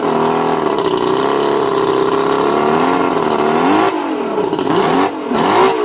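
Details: Mercury 135 outboard revving unevenly, pitch wavering and dipping with stumbles as revs rise and fall, rough running and likely misfire; owner suspects the spark plugs.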